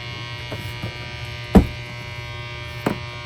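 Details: 1980s MXR M-108 10-band graphic equalizer tested into a Princeton Reverb: constant low electrical buzz under everything with handling pops, not cured by grounding; strong mains hum, unit not working properly.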